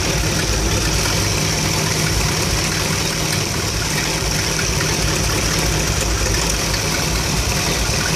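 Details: 1975 Dodge B200 Tradesman van, 360 5.9L small-block V8 with 2bbl carb, warm: uneven, loping rough idle; it also stalls when warm, and a new ignition coil stopped the stalling but not the roughness.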